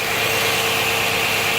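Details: 2011 Nissan Maxima with code P0171 and a high idle of 1,100 rpm in park. The engine runs under a loud airy hiss with a thin whistle, from a small leak in a hose plugged into the intake manifold.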